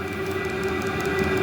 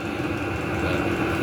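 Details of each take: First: Newly installed fuel-fired heater running before a muffler is fitted: steady roaring hum with fixed high whistling tones; loudness suspected to come from the exhaust, and adding a small muffler quiets it. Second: New fuel-pump-fed heater, first start, with a small muffler fitted to its exhaust: steady, even combustion roar and smooth low hum, no surging or popping, much quieter than before; exhaust very hot, no smoke, little smell. Normal running.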